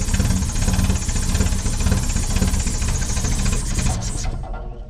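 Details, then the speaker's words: 1970 Opel sitting about 41 years: rough, uneven running for about four seconds, then it fades and stalls. Owner suspects something not tight enough or too much fuel. "we let her die hey we can keep it running well"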